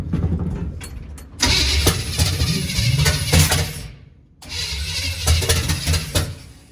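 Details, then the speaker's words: 1951 GMC cab-over on its first start attempt, sprayed with brake cleaner as starting fluid and no fuel reaching the carburetor yet. The starter grinds with uneven bursts of firing that catch briefly and die. Ignition timing is off. "Alright, so timing is off. More spray. Nothing up to the carburetor yet."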